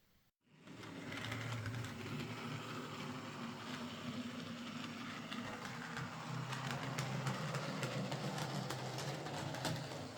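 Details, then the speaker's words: Model locomotive, split chassis, after reassembly with a new motor (axles previously replaced), runs okay but with a rattly, uneven whirr and scattered clunks; the repairer blames split-chassis design and particularly dislikes this motor. "Uh, the locomotive now runs okay, but it's a bit clunky and noisy at times, as uh some split chassis models tend to be, particularly with this motor."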